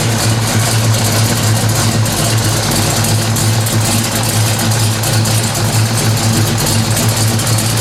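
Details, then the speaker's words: 1970 Pontiac LeMans 455 V8 on the lift, idling while warming up to temperature, Violator pipes, Turbo 350 transmission on Type F fluid: loud, deep, steady burble through open pipes, no knocks or ticks, no leaks; healthy idle. "yeah that sounds good to me no leaks pipes violator pipes sound good motor sounds good get her up to temperature"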